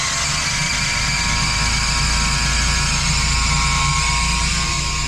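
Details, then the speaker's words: Cook fresh air intake/exhaust fan motor starter running in hand mode after earlier locked-rotor readings of about 40 amps: harsh, rough buzz with an uneven rattle of about four per second; the contactor plunger is shaking, contactor needs replacing. "that contactor was like dribbling around honestly and it's buzzing right now I would change the contact back there the motor starter"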